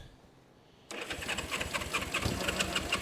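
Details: 1970 Honda CB350 revived after sitting idle for years; after air-fuel screws were set equal, it runs on both cylinders but then won't restart. Starter spins it with even pulses, about three a second, never firing: cranks but no start.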